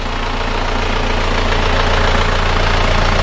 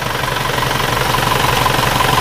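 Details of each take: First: Isuzu Panther diesel (blue) after repair with all-new original liners, pistons and rings, idling cold before warm-up: even, steady clatter with no misses or knocks, soft and smooth; normal idle. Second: Red Isuzu Panther diesel, year 2000 or older, injectors three good and one less good, injection pump unserviced, compared with a blue Panther. Idle a bit rougher, fast even clatter with a faint rattle the speaker attributes to timing gears.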